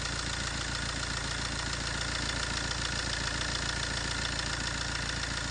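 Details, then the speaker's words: Fiat 1.3 Multijet diesel idling with a steady metallic rattle over the clatter, about three to four pulses a second: a worn-out timing chain, seen at the end of its travel through the inspection window; chain replacement needed. "bir ü zincir sesi arkadaşlar duymak isteyenler şu an bitmiş bir zincirin sesini duyuyorsunuz"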